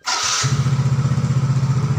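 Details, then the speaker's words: Yamaha X-Ride 125 scooter that suddenly died completely while riding; after replacing the blown fuse, a short starter whirr and it catches at once, settling into an even idle. Fault was only the blown fuse. "langsung nyala ya bener ya berarti teman-teman ini fix hanya sekringnya saja yang putus seperti itu ya"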